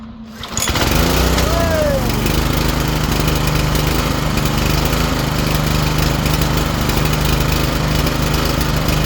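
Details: Ariens tiller small single-cylinder engine started outside after draining fuel containing some water; pulls up and holds a steady, even beat without misses or surging, running fine.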